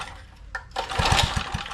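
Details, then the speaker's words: Trash-found edger small engine, reportedly burning oil and overfilled with oil: a few quick pull-start puffs that never catch, because the choke was left fully off; it runs once the choke is set. "Which way is Oh, that was all the way off for the choke."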